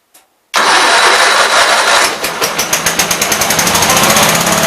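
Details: Gravely 8163-T after a carburetor swap with a new air cleaner setup and adjusted PTO: fires at once, then a steady, even idle putter of about four beats a second with no misses; healthy idle.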